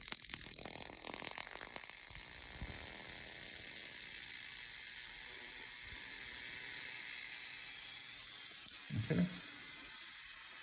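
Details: Homebuilt Tesla-style HF high-voltage generator (neon sign transformer, tube spark gap, first two tubes slightly misaligned but judged good enough): steady fizzing hiss with fast uneven snapping; gap firing continuously, working.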